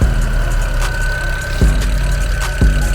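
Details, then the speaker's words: BMW 335i running while coolant is bled after hose reconnected: steady high-pitched squeal over smooth engine; slipping belt suspected from spilled coolant, belt to be replaced anyway. "Dropped a lot of coolant on the belt, so I think that's what's making this sound. But the belt's gonna change anyway."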